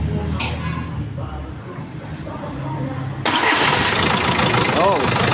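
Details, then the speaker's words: Freshly overhauled old-model Isuzu 4BC2 diesel that had a bad oil leak, started after timing was set: a few seconds of slow cranking, then it fires at once on one click and settles into a steady, even clatter. It starts healthy. "mga Bossing one click tamaang timing ni Mers umaandar na"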